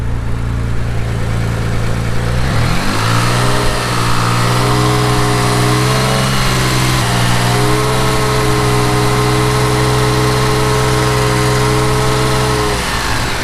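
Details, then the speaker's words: Mitsubishi 3000GT VR4 rebuilt twin-turbo 6G72 (forged internals, stage 2 cams, 15G turbos): revs rise then loud steady train-like drone only at exactly 2,500 rpm; cause unknown, owner suspects water pump pulley or bearings. "Anytime I hit exactly 2,500 RPM, this thing sounds like a train, just hums."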